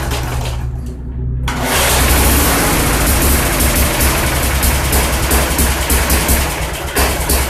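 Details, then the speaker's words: Vintage Sears 131.91280 21" push mower, swapped 1978 Briggs & Stratton 3.5 hp 92908 with points ignition, sat years in barn: catches but speed surges and sags, needs choke; carburetor suspected out of adjustment, rebuild planned. Rough running. "well it's not going to run right without more attention it's going to have to be encouraged"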